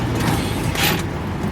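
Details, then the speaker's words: 1928 Ford Model A roadster pickup with three-speed transmission, driving: the old engine runs with a brief rasping grind midway through the gear change because the double-clutch shift wasn't done right, so the gears clashed. "There's a little grind in there. I didn't quite get the double clutch right."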